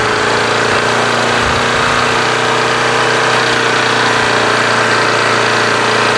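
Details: Craftsman push mower with Briggs & Stratton Quantum engine after winter storage, primed and started. Steady, even drone at constant speed with no surging or misses; running properly at governed speed.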